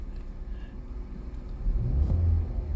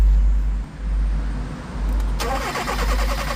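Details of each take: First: 2020 Hyundai Tucson 1.6 GDI turbo, about 100k km, towed in running poorly with no check engine light: low uneven rumble, lumpy stumbling beat, lifts on a brief rev; misfire with rough idle, cause (coil, plug, injector) not yet known. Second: 2020 Hyundai Tucson 1.6 T-GDI, about 100k km, misfire and low power complaint: steady even starter cranking with no engine catching, even rhythm, compression appears even on scope capture; normal cranking.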